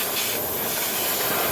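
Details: 2005 Dodge Neon SRT-4 ACR with engine off, shop air pushed through the system: steady airy hiss of air escaping through a loose fitting far back, seen bubbling; an exhaust leak.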